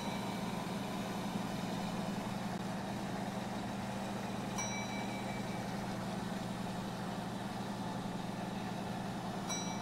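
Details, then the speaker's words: Two old gas pumps, a clock-face pump and a Gilbert and Barker 80, run together, steady even low motor hum without knocks or rubbing; the clock-face pump seems to pump faster, though the Gilbert and Barker has a larger-diameter nozzle and flows well; both pumping normally. "it seems like the clock face pump pumps faster because I can't keep a barely keep up although the GNB ad has a bigger nozzle larger diameter and it's flowing real well"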